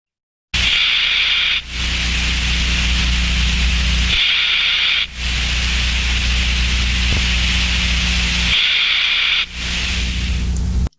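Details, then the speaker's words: Inverted bucket steam trap heard via ultrasound: hiss of flow turbulence swells and drops three times in about ten seconds as the trap opens and closes; clear regular cycling of a healthy trap. "as you can hear from that sound we can hear turbulence increasing and decreasing as it opens and closes so we can hear clear cycling of the trap"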